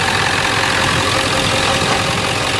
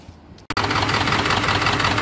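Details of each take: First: 1997 Ford F250 HD 7.3 diesel after replacing all four injector/valve cover harness connectors and gaskets (a bent pin had caused cylinders 1 and 3 to misfire): a loud, steady rumble with even clatter, far less shaking. Normal idle, power restored. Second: 1997 Ford F250 HD 7.3 diesel at idle after new glow plugs: uneven, lumpy clatter with a skipping beat, still shaking after a new valve cover gasket. Injectors 1 and 3 misfire from a bent pin in the injector harness connector.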